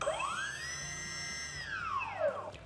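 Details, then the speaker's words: E-flite Apprentice STS 1.5m RC trainer plane, throttle test on the ground: brushless motor whines up in pitch, holds briefly, then winds down cleanly, working properly. "we can hear the whine of our motor, and we know that's working properly."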